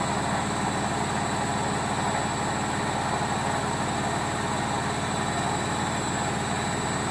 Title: Logik L712WM13 Cottons Intensive 40 Final Spin With Bad Bearings